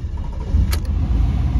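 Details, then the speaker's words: 1997 Chevrolet Camaro RS, 3.8 L V6, after replacing the failed ignition coil on cylinder 3, driving uphill under load: steady, even low rumble with no stumble, just a brief click; normal running, misfire gone. "all right here we go moment of truth yes no more misfire yeah buddy"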